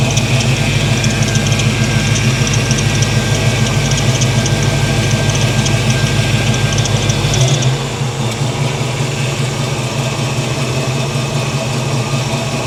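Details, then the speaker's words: 1983 Chevy C10 350 small block after a Holley 4-barrel carburetor swap to fix backfiring, idle turned down: deep even V8 burble settling a little lower, no misses, pops or backfires; running properly, previously dieseled at shutdown. "all right she's running much more better let's see if it uh see how it shuts down"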